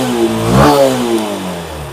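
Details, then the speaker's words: Honda SP 160 BS6 single-cylinder motorcycle after fixing a pickup problem from a shorted plug cap and carbon and dust buildup: revs up smoothly and settles back, no knocking or misfire. "দেখো আর knocking কিন্তু করছে না গাড়ি, আর কিছু হচ্ছে না গাড়িতে।"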